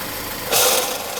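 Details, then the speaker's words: Chevrolet Malibu at idle: harsh rattling knock flares briefly and cuts out cleanly; the noise is the AC compressor, though another shop had misdiagnosed it as timing chains. "There's her noise right there. And it stops. Now, I'd be willing to bet under the right circumstances that thing continues to make that noise."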